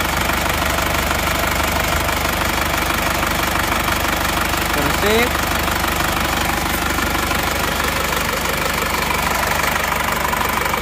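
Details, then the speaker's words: Isuzu Panther L 1740 diesel, warm idle after piston ring and sleeve replacement; rough sound was from worn sleeves, not the injection pump. Even, regular clatter without shake or uneven knocking: normal diesel idle. "Tapi menurut saya mobil ini sudah tidak goyang saat panas sudah tidak goyang goyangnya hanya sebentar pada saat pagi saja itu pun tidak terlalu"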